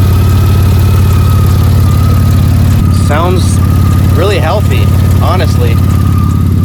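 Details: Mercedes C32 AMG supercharged, after removing catalytic converters with O2 sensors unplugged: deep, loud, even idle with steady low rumble, no misses or shake; normal idle, just loud without cats.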